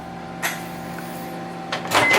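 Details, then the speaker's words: Microwave/grill combination oven run on grill for 2 minutes: a steady, low circulation-fan hum with a faint tone, no magnetron buzz, and a few clicks and bumps. The grill element glows; normal grill mode operation. "Okay, so we've got the circulation fan going, and as you can hear, the magnetron did not kick on. You can very clearly hear that."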